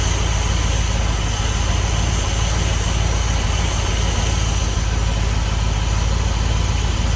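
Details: 1976 Dodge D200 after tune-up with new cap, rotor, wires and plugs plus oil change, timing not set (no timing light): steady smooth low idle, no lifter tick, knock or miss, firing on all cylinders; normal idle.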